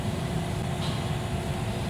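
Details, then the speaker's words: 2011 Jeep Liberty 3.7L (description says 2003), blower motor not turning on, no air from vents; blower now at full speed drawing about 14.5 amps; steady even low rumble, no rubbing, ticking or squeal, normal blower operation. "okay so that's full speed we've got about 14 and a half amps"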